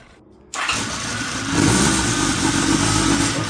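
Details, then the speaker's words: Honda CB750 cafe racer four-cylinder, first start after a carb rebuild and new spark units, cold and not yet warmed up; the owner says it runs bad when hot. It catches at once and settles into a smooth, steady, even idle. "Well, she's back. She runs. You heard it first."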